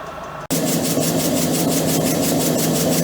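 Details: EPKU-1.7 piston compressor block after repair for cylinder knock and oil throw, on test run: steady, even pumping beat, a few strokes per second, no knocking from the cylinders; normal running.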